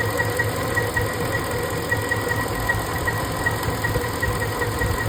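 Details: Ford 5.4 3V V8 with an uneven idle, a stumble a bit over once a second, while tracing a misfire; cylinder 7 injector suspected, cause not confirmed; engine misfire at idle.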